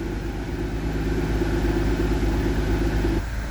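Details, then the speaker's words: Car being repaired for electrical faults, warming up after the fix, heard at the exhaust: steady, even low rumble with no stumbles or skips; not missing in gear either. Normal smooth idle. "Sounds like it's a little happier. Let's go back at the exhaust. So, I don't know if y'all can hear, but it's very smooth."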